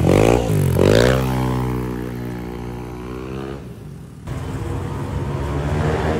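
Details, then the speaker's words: Yamaha NMAX V2 scooter with 63 basic setup (previously bolt-on only): clean, even rise and fall through several revs, no rattles or knocks; engine quiet, sounds healthy. "Okay na to, goods na. Goods na to, tahimik na yung makina."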